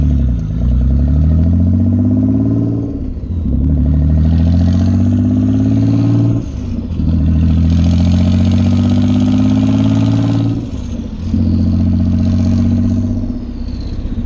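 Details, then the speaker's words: Nissan 300ZX back running, loud exhaust blipped several times, revs rising and falling smoothly without stumble at this moment, though an intermittent putt-putt, possibly a misfire, was heard earlier: sounds healthy. "loud as hell but it sounds good sounds healthy at least"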